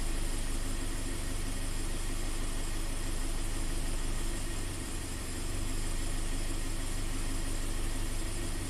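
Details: Scion FR-S/Subaru BRZ with low power, stumble and code P000A intake cam bank 1 slow response, intake cam commanded via scanner, angle oscillating about 10–30 against 23 target: idle rougher with slow wobbling exhaust rhythm.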